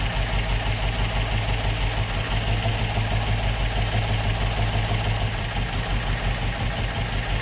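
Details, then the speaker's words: Opel Manta hatchback with Ascona front end, stored about 20 years, idling on its own after its first start, still on the old plugs: a steady low rumble at an even tick-over with no misses or knocks, a normal idle. "happy days that was not bad for a car that has been stoed for 20 years I thought it was going to be a lot harder to get started than that"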